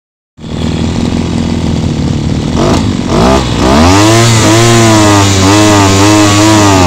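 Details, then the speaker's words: Mitox CG330 petrol strimmer, small two-stroke, after a full carburettor clean won't hold revs: pitch swoops up and down unevenly, running rough despite repeated tuning; carburettor judged faulty and needing replacement. "As you can hear, I keep on altering it, keep on tuning it up as well, but it's not working."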